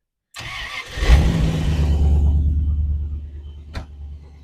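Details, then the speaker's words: TR8 cold start on fast idle controlled by temperature sensors; brief crank, fires straight up, settles into a deep, even, silky smooth fast idle with no misses or knocks; healthy cold start. "So just spin it over, bang, fires straight up. And it runs silky smooth. It really does. Runs absolutely beautifully."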